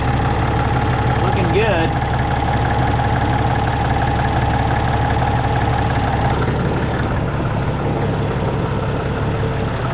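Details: Peterbilt with ISX Cummins CM2250 idling after a front structure oil leak repair: a steady, even diesel idle with a deep low rumble and no knocks or misses. It is no longer leaking and is being warmed up before an oil and filter change.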